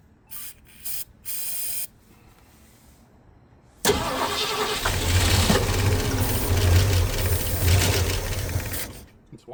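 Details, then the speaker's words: 1965 Ford Mustang 289 V8 barn find, parked 29 years, carb primed through a funnel: short cranking, then rough running about five seconds before dying; carburetor not taking fuel. "So, we're going to It's not taking fuel through the carburetor, so the the jets must be"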